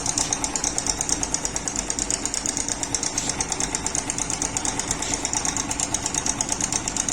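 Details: Yamaha Crux small motorcycle engine idling with a loud, fast metallic ticking rattle from a slack timing chain; the timing chain adjuster/tensioner spring is broken.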